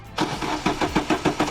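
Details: Astra cranking on a jump pack with battery running down: even starter chugs about seven per second with no catch or firing; no-start blamed on a cheap part fitted by a previous garage.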